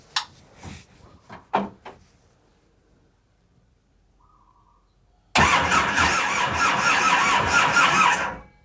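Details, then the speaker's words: Boat diesel engine cranks for about three seconds and never fires. The battery is weak and not charged, and fuel has not yet been primed up while air is being bled, so it won't start. "Con questa batteria non parte, non è nemmeno carica. Deve salire il gasolio: insisti, se no non sale. Non parte per quello."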